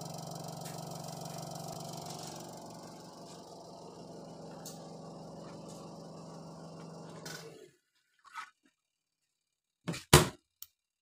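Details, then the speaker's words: Washing machine spin-dryer motor after repair (it had spun fast at first, then slowed, squeaked and stopped, traced to excess grease on the motor pulley): even, steady hum with no scraping or knocking, smooth and healthy before winding down. "Ya, kita dengar ini dari suaranya saja sudah halus dan meyakinkan ya."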